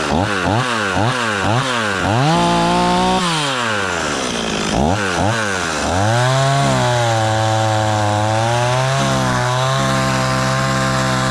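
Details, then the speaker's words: Stihl 026 two-stroke chainsaw after rebuild, warming up on thick fuel: a few sharp throttle blips, then a steady but slightly quick idle; idle set high enough that the chain just begins to turn. "seems pretty happy really fuel there still you're running the little fast the change just barely going to start to turn there"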